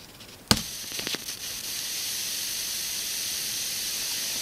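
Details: PAM8610 amplifier module on battery power with Pioneer 10 W speakers and MP3 player source; thump at switch-on then loud steady hiss independent of volume setting, likely a board design issue; constant background hiss.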